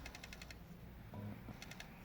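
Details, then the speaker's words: Bose AWRCC1 radio CD player trying to read a disc: bursts of rapid light ticks, about six in half a second, then pauses, as it keeps skipping; owner suspects a bad capacitor. "but you can hear like it keeps skipping. Could be a bad capacitor."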